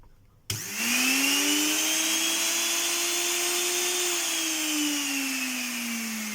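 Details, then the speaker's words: Moulinex meat grinder motor tested during repair for a grinding noise: spins up to a clean, steady hum with a faint sag near the end, no rattle or scrape; motor healthy, while the gearbox has stripped gear teeth. "двигателю претензий нет ."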